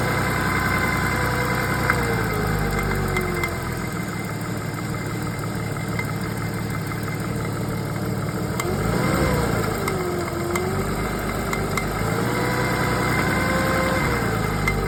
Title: Porsche 986 rattling sound